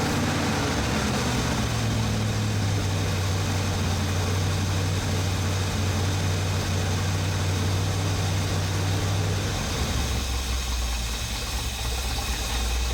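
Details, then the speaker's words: 1980 Ford F-350 service truck with a freshly installed 460 big-block V8 and dual exhaust, first run and break-in at 1300–3000 rpm. Deep, lumpy, even idle burble: normal idle. A suspected carburettor gasket or exhaust leak is found afterwards. "However, after breaking it in, we ran into a little problem, which we're going to discover here in a little bit. But do enjoy the engine sounds for the moment."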